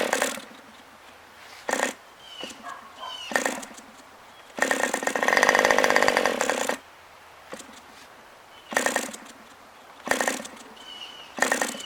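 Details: OS 40 FSR glow engine on its second break-in tank, run at high and low speed: tiny high-pitched rasp in short, uneven bursts with quiet gaps, never holding a clean note; both high and low needles are still out of adjustment.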